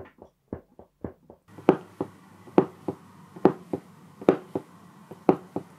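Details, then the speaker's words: noblechairs LEGEND gaming chair: sharp irregular pops, roughly one a second, as weight shifts on the seat; faulty backrest flexing and popping, replaced. "the only problem I had with the bill quarter here was that the backrest makes a kind of popping noise you can"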